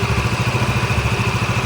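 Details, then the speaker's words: Yamaha Mio MXi 125, one month after overhaul with new connecting rod, cylinder block and side bearing: steady even single-cylinder idle putter about ten beats a second, no knock or rattle; idles clean. "So update lang dito sa MIUI MXi. Yan, goods na goods."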